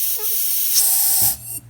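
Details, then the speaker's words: New boost wastegate bench-tested with pressure on the bottom port: a sharp steady hiss escapes the top port and the valve drops back, showing air passing the diaphragm; wastegate diaphragm air leak. "so you hear all that air you can hear it when I put my finger over it that is air escaping out of the top of the bathroom"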